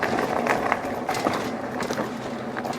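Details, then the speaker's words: Hanevear H100 dual-motor folding e-bike riding over bumps testing its budget front suspension: rolling rumble with soft thumps, no squeaks or creaks from the fork; suspension smooth and quiet. "and honestly guys not bad for a cheap suspension on this bike it's actually really smooth and there is no squeaks whatsoever on this suspension which is pretty amazing"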